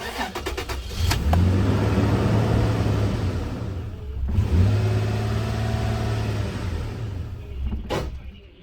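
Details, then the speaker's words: Toyota Tacoma 4.0L that dies suddenly, after both oil control valves were checked within spec and intake refitted. Low uneven drone, falters midway, odd noise, then dies; owner suspects stretched cam chain or intake backfire. "Now, what is that noise it's making before it dies? Is that a stretched cam chain? What the hell is that? Or is that a backfire through the intake?"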